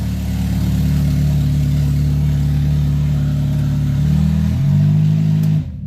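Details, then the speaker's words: Honda Element with a stolen catalytic converter, engine revved: loud, deep, raw, unmuffled drone swelling with revs. Loud exhaust from the missing catalytic converter, before the new converter was fitted. "So loud. It's ridiculous."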